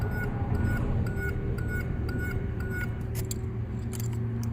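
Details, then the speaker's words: 1983 Buick Riviera 5.0 L with a repaired chime module, key inserted in ignition: light repeating chime about three dings a second over a low hum. Normal key-in-ignition chime. "put the key in ignition you hear it there i don't know how loud this is supposed to be but uh you can hear it"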